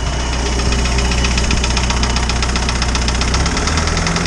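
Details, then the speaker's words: Isuzu 4BD2T diesel in a Spryte snowcat, first start after a head replacement and valve adjustment: quick, light ticking over a steady clatter at idle from one valve; owner thinks the valves need readjusting and the new head needs break-in. "i got one valve in there that's just been [Music] annoying he just sounds really upset like you shouldn't have taken me apart"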